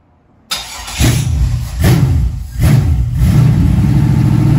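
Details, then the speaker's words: Junkyard LM4 aluminum 5.3 LS V8 on an engine stand with stock cam and a gravity fuel feed, before a Tick Performance cam install: catches and settles into a deep even idle with throttle blips; healthy. "so yeah this this should just run and idle completely on its own run it for a few minutes"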